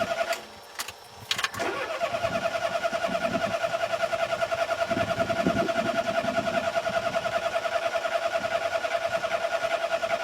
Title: Mommy's car won't start - Pedal Pumping cranking